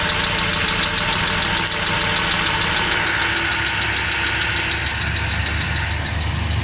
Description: Very quite ticking noise coming from around oil pan or transmission